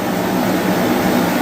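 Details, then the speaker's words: Serviced 115,000 BTU torpedo heater, thermostat set to 70 degrees, just fired up: steady, even roar of fan and burner with no surging, rattles or sputter, running properly. "There she goes. Heating up. Everything seems to be working the way it's supposed to."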